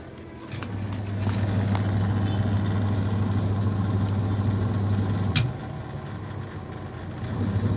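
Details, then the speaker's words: Denpoo twin-tub washing machine, spin motor tested after repair of jammed, broken motor: steady low hum at even speed, a click as lid door switch acts, then it picks back up; running normally. "Ya, jalan ya teman-teman ya. Jalan ya. Nah, tutup baru dia jalan lagi ya teman-teman ya."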